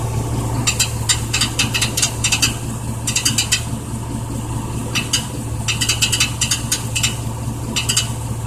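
Engine runs steady underneath while bursts of quick metallic rattling come and go over it every second or so; source unclear.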